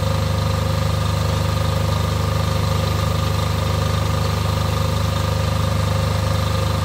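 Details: Off-grid diesel generator after service for fuel problems and cutting out, test run before load: deep even idle, steady low thrum, no lumpiness or misses; lumpiness seems cured, running smoothly.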